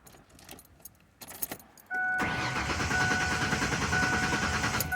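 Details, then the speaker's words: Truck suspected of a bad fuel pump, cranked after spraying into the intake: starter churns evenly about three seconds but never catches; acts like it wants to start, fuel delivery suspected. "Okay, so now I'm back in the truck. It act like it wanted to start, so I'm gonna spray a little bit more."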